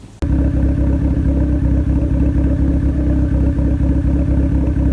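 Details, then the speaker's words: Turbo Honda CRX D15/Y8 with Delta 272-2 cam, valves lashed, cam retarded 2° via adjustable cam gear to allow correct ignition timing: steady, even, healthy idle with no misses. "So I retarded the cam by 2 degrees, and then I could set the ignition timing exactly where it needs to be. So after doing that, the car sounds like it's idling a lot healthier."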